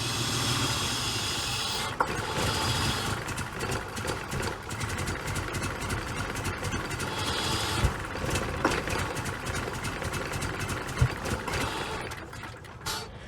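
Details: 2003 Honda Pilot after replacing the EGR valve: uneven, lumpy idle with irregular pulses and a steady hiss underneath, smoother than before but still running rough. Cause unconfirmed; the owner plans a valve adjustment next.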